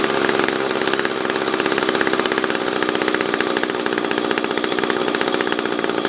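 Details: SRM-210 trimmer after repair (new carb, fuel filter, plug, fresh gas, handle), tank refilled: crisp, even two-stroke burble at steady idle with slight lifts, no hunting; normal idle.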